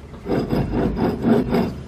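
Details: 2004 Chevy Tahoe 2WD old front wheel bearing hub, removed and spun by hand: dry, gritty rasp swelling and fading about twice a second; rough, worn bearing, being replaced.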